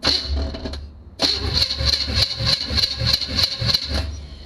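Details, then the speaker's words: 2006 GMC Envoy with small-block LS swap, starter jumped at the relay, no fuel: rough rattly cranking about three beats a second with a sharp metallic ring; sounds terrible, cause unclear. "it sounds exactly the same as whenever I started sounds terrible but it at least is turning over again so that's good"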